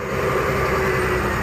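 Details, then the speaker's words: 2003 BMW 325i at idle with check engine light: loud, uneven idle with rough rattly undertone and engine shaking; misfire from failed ignition coil, before replacing coils. "so here's what happens when I turn on my car you get this engine light here and shaking I'm gonna go and show you what that looks like on the inside you can definitely hear it yeah the engine is shaking"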